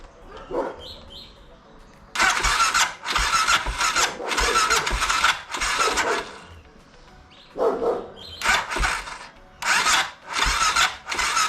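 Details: BMW F650 (Rotax 652cc single) cranking after its carburettor was rebuilt and refitted; high thin starter whirr in bursts with almost no engine thump, the starter spinning freely; owner suspects the starter clutch has gone and needs replacing.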